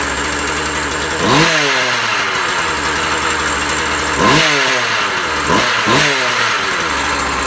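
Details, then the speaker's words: Husqvarna 36 chainsaw, warming up: high buzzing idle with three crisp throttle blips that rise and drop back cleanly; the saw runs healthy and even. "Okay guys, so I gotta fire it up, and just, it may need a little tweaking here and there. I'm just gonna let it warm up."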